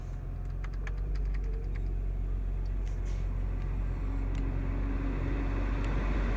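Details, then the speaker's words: BMW E90 3 Series with no air from vents, after blower motor fix and glove box reinstalled; engine idling, then a steady low fan hum starts a few seconds later as the air conditioning comes on; blower working normally. "see, you can actually like hear the air conditioning come on, right? Alright, so it works now."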